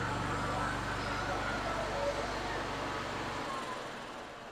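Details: 2012 EZGO TXT golf cart with a new carburetor, fuel pump and fuel filter, choke on, just started cold: it chugs unevenly about four pulses a second and runs poorly; it likely needs adjustment or too much choke; small fuel leak.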